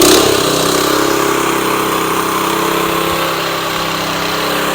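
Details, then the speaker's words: Tru-Cut C-25 reel mower with Honda GX160, after carburetor replacement to cure surging: steady, even full-throttle drone with no rise and fall, then a stable idle, engine hardly warmed up. "absolutely no surging I'm going to go ahead and turn it down do you listen to that it still stays idle"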